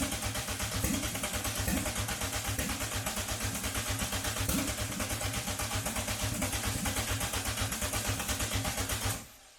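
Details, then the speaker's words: MK2 VW Golf GTI engine rebuilt after 10 years off the road, fuel in, first crank attempt: steady labored starter churning, five or six turns a second for nine seconds, never catching; battery flat after ignition left on for two days. "I've just checked the voltage on this and this is flat flat. Even though it's near it's flat. I did leave the ignition on for at least 2 days by accident."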